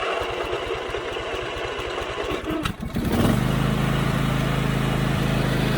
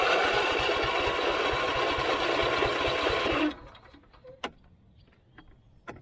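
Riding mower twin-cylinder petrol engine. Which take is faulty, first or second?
second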